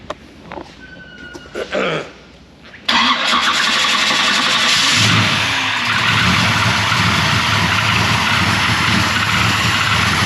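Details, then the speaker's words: 1992 Chevy 454SS truck with a GM Performance 1000hp ZZ632 big block and 3-inch exhaust: after a few clicks it fires instantly and settles into a smooth, surprisingly quiet idle with an even exhaust pulse. It sounds healthy. "Quiet. Like, it's a lot quieter than I thought, but when I looked at what mufflers they use, it's all 3-inch, but the muffler's like that big."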